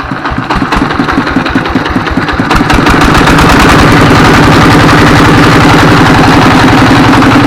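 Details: S1115 24 HP single-cylinder diesel that had thick black smoke and surging throttle; after service it catches and settles into a steady, even idle chug around 220 beats a minute with regular firing and reduced smoke.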